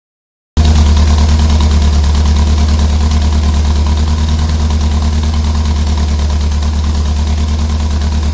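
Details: Ford Pinto at idle: low, loud idle with a lumpy, uneven pulse about three beats a second that never settles; misfire at idle.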